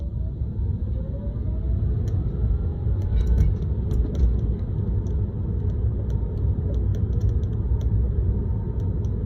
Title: Rattling noise in Tesla 3